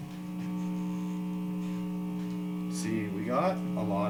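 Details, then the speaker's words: Guitar being opened up to hunt a bad hum, tested through a humbucking pickup with all grounds going to the bridge (owner doubts a ground loop). A constant low buzzing hum, which is strange for a humbucker and has an unconfirmed wiring or interference cause. "hmmm this is strange because this is supposed to be a humbucking pickup we could try the other ones and see what happens but I think it might just be worse"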